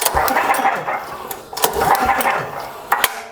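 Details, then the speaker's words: Cub Cadet snowblower engine with low oil, pulled over by recoil: spins fast and loose as if no spark plug, uneven clattery rasp and no compression beat; compression lost, owner suspects blown engine, not yet confirmed. "it pulls over as if there's no spark plug in there I don't feel any compression and there's a weird noise that you can"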